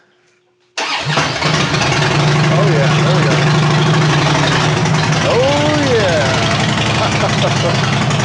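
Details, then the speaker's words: 2007 Harley-Davidson Dyna Street Bob V-twin after starter replacement (old one intermittently lagged or failed): short quick crank, engine catches at once, settles to steady lumpy idle; starter engages cleanly, normal start. "guys all right so three times all three times sounded really good starting on that one so i'm definitely satisfied with that one"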